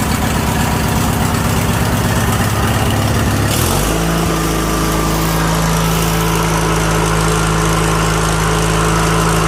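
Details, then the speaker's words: Craftsman LT1000 (2000) with Briggs & Stratton 21HP L-head twin after carburetor and fuel pump rebuild: engine lopes unevenly then settles into smooth steady hum at higher speed; runs clean, fuel pump leak fixed, normal running. "Sounds good, and it's not leaking no more fuel."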